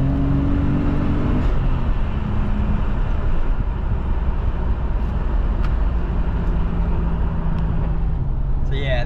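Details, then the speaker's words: Nissan R32 Skyline RB25 turbo after new MLS manifold-to-head and manifold-to-turbo gaskets and split vacuum lines replaced: pulls cleanly through the revs with turbo noise, earlier squeak and stutter gone; normal acceleration. "that squeaky sound is gone. Now we've just got some turbo noises. It pulls so smoothly through the whole rev range now, whereas before it'd sort of stutter a little bit and then it would go."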